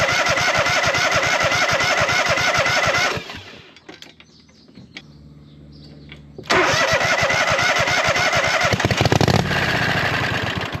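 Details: Hustler zero-turn mower with swapped engine, new carburetor and fuel pump, first start before exhaust built: crisp regular putter cuts out, goes quiet, restarts and runs evenly with throttle changes; normal start and run.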